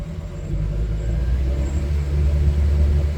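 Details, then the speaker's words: Mercury outboard on a Boston Whaler 330, after repair following a steering alarm: deep even rumble at steady revs, no misses, surging or knocking; sounds normal. "let's fire them up that sounds better that one sounds normal"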